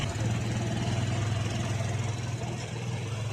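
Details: Bajaj Caliber motorcycle after fitting a genuine oil pump, because the head had been dry and noisy: small engine idles with a steady, even low thump, about 3.5 beats a second.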